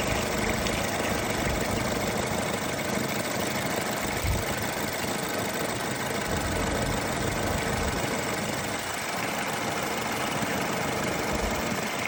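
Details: 2012 BMW 528i xDrive after thermostat replacement and clearing the thermostat code: steady, even hum at idle with no misses, knocks or rattles; engine runs smoothly and sounds healthy.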